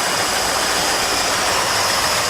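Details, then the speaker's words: 1979 Ford Bronco idling after rusted, corroded charging wire ends were repaired, new thermostat, fresh oil, tightened slipping belt; steady even idle with faint high whine, no knocks or misses, 14 volts charging, runs better. "14 volts we have a charging system it runs better too"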